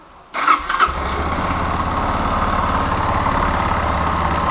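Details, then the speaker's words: Yamaha Fazer 250 after repair of an engine ticking noise, with a part replaced, valves adjusted and cam chain tensioner adjusted: quick crank, then a steady even single-cylinder idle with no knocks or rattles. Engine quiet and healthy. "Tá bem, tá bem silenciosa, né? Porque além dele ter trocado a peça aqui, ele já regulou válvula, já regulou o esticador da corrente, então tá bem reguladinho."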